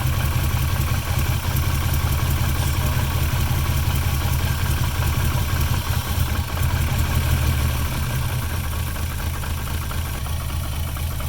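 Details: VR6 engine with starting issues that catches only every few tries, throttle rotated slightly: deep uneven chuffing idle with a stumbling beat of two to three per second and small throttle rises; rough idle, with light smoke from the PCV valve.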